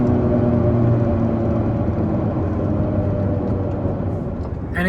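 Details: Car driving in 38 °C heat, microphone at the rear right wheel: steady droning rumble with a rough rhythm like road rumble strips while cruising. The rear right wheel bearing is worn, confirmed with the car lifted.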